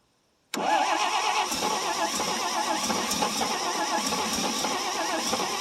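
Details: 1957 International S120 4x4 pickup, about 52,000 miles, first start after sitting about 4 years, points filed; engine fires abruptly and runs unevenly with ragged, stumbling beats, trying to settle.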